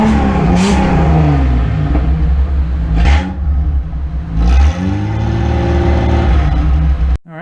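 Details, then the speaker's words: Datsun rally project engine, with fresh oil after a flush, heard just after the muffler was cut off so exhaust exits by the differential. Loud, raspy revving with a deep open rumble and no muffling. "So, now we crank her up and see how bad she sounds."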